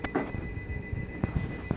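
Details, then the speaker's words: APC battery backup powering an Eklin EDR-3 X-ray system gives a thin, steady high-pitched beep under room clatter; the alarm is from the heavy generator draw on an undercharged battery, and it stops once the battery charges. "That APC finally stopped beeping."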